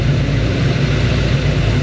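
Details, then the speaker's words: 1941 Ford with a misfire complaint, idling at about 16–17 inHg vacuum, valve train judged fine but a mild cam suspected: low even drone, smooth steady beat, no ticks or misses; running fairly normal. "The way that's running right there is fairly normal."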